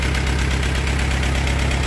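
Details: Allis-Chalmers B tractor, far from restored, still running: steady low chugging idle with an even, unbroken beat and no skips or knocks; the old engine is running healthy.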